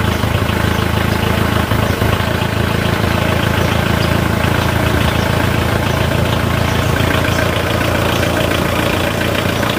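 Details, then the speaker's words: Mitsubishi Kuda diesel started after its weak 70 Ah battery was cleaned, refilled and recharged: catches and settles into an even, steady idle clatter with no misses or knocks; normal idle. "ya jadi kondisi bisa langsung digunakan jadi langsung bisa dipakai"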